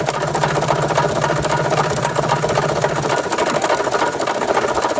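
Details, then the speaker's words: 1993 Toyota Tercel, first start after bolt repair and overfilled oil found, jump-started: fast, sharp metallic clatter over a weak idle, won't accelerate at all; heavy engine knocking, owner suspects rod knock. "yeah something is definitely wrong there that's a lot of knocking and uh it won't accelerate at all and uh that's a whole lot of knocking it sounds like a rod knock honestly"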